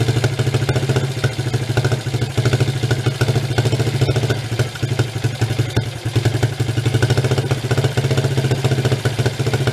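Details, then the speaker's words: 1983 Suzuki 125 single-cylinder three-wheeler ATV, choke off: rough pulsing idle with uneven stumbles and pops; mixture screw too far out, lean, no good window found. "it's too far out right now you can tell by that that popping back but when i run it in i'm not finding a good window for it to operate"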